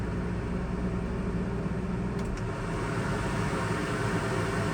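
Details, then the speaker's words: Truck camper rooftop AC on high cool after fan wheel replaced (new wheel's hub drilled for clearance): even steady low hum, no rubbing, rattle or scrape; quiet again and draining properly. "there's high cool. It's quiet again. Fantastic. Works."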